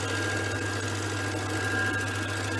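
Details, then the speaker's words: Small wood lathe turning a first bowl blank with a gouge: steady low hum with rough chattering buzz; vibration from the blank not yet turned round, lessening as it becomes round. "it will vibrate less and less have to get more and more round"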